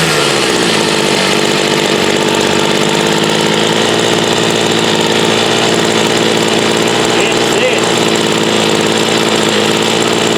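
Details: Homelite UT33650A 26cc two-stroke trimmer fitted with a Ryobi carburetor, idle screw bumped up: steady even idle, high raspy exhaust, no stumbling or surging; runs normally though carb still needs adjusting for this trimmer.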